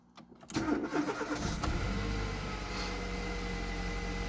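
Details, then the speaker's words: Petrol Mercedes A-Class W168 after fixing P0170 lambda fault (self-adaption range too rich) and clearing codes; quick crank catches at once, revs briefly, then settles to a smooth, steady idle with no misses and no engine light. "Well, that's a good start. No engine light."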